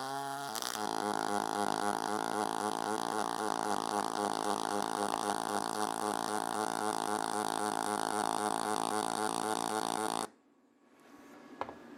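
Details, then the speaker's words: YesWelder YWM211 double pulse MIG on aluminum with spool gun: steady crackling buzz pulsing about four beats a second, then the arc stops; bead not hot enough, max current to be raised. "the pulsing now that one looked like it wasn't actually hot enough so I'm going to increase the uh the max current"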